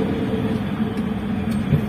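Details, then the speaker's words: Old Toyota Avanza rolling at about 20 km/h in neutral, roar complaint at high speed: deep continuous rough drone already harsh at low speed; likely a worn propeller shaft centre bearing. "kecepatan rendah seperti ini suaranya sudah mengerikan Ya seperti ini"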